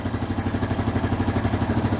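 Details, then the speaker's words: Hard-ridden Honda TRX350 Rancher ATV that smokes and burns oil, poor carburetion, silicone on cylinder: fast, even single-cylinder thump with metallic clatter on every beat; beat, likely needs a top end. "This thing's kind of beat. I'm going to guess the looks of this air filter right here, this thing needs a top end."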